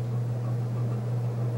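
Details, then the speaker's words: c.1980 Homestead Whisperfan II ceiling fan with a GE motor, on high speed: steady, even low hum with no rubbing or ticking. It is really powerful and barely wobbles. "and now high-speed just all the way it doesn't wobble a little bit"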